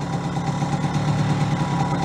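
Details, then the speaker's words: Barn-find moped, guessed about 1978, after fixing and refitting air box: even quiet two-stroke putter at idle with no misses or rattles; runs cleanly. "sounds good makes it nice and quiet huh"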